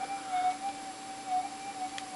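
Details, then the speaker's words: GPX4000 metal detector after a ground-balance circuit upgrade, all settings and audio boost turned to maximum: wavering tone around 750 Hz over constant hiss, the threshold chattering noisily; would be much quieter with settings turned down. "so bit of a demo you can hear how noisy is is here with this detector cuz everything's um Turned flat out if I turned everything down it would be a lot better but"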